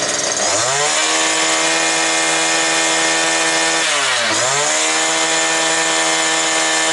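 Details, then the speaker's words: New two-stroke brush cutter, previously not starting, running bare without shaft, gearbox or line at full throttle, about 9900 rpm, just under 10,000, judged normal by sound. Sharp high scream holds steady, dips briefly and recovers cleanly: normal high rpm. "Так, значить, 9900, друзі. І це нормально, я чую по звуку. Якраз до десятки, якраз їй нормально."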